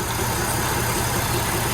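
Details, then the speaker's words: 2004 BMW 525i petrol engine after repair: steady, smooth idle with no shake or stumble. The cylinder 2 misfire was caused by a torn, hissing intake manifold gasket; coils, plugs and spark had all tested okay. "all right guys i'm quite happy with it with the result that it was the intake manifold as i showed earlier there was a rip look at that buttery smooth engine no more vibration"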